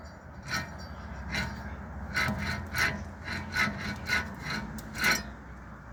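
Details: Wheel hub turned by hand gives a rough, rasping grind in repeated bursts, the dry gritty feel of a worn wheel bearing.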